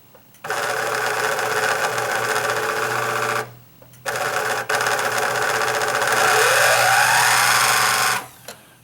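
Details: Singer Quantum XL1000 sewing machine main motor spinning freely with belt and idler pulley removed, harsh rattling buzz in bursts; motor shaft end wiggles; worn motor bearing.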